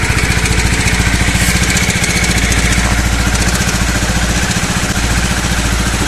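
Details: Honda CBR250R single-cylinder before repair: quick, light ticking over a steady idle, about three or four a second; slack cam chain from a worn tensioner, a common CBR250R issue fixed by replacing the camchain tensioner.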